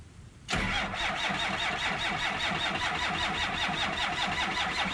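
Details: 1963 Ford F250 with Cummins diesel swap, cold start at 7 degrees with no glow plugs, grid heater or block heater: even, rhythmic starter churn keeps going without the engine catching. Hard cold start, long cranking without firing.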